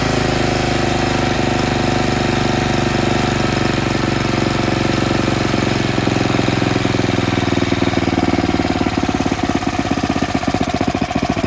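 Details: Tecumseh snowblower engine after cleaning a clogged carburetor pilot jet that caused surging: small engine holds a steady, even beat with no hunting or surging; runs smooth and settled.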